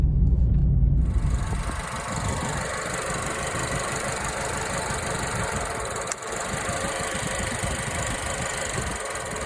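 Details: 2009 Suzuki SX4 2.0 L gasoline, 409,000 km: rough, lumpy, stumbling idle and misfire when throttle opened; gross misfire, cylinder isolated by plug-wire drop test, spark plug suspected, not confirmed.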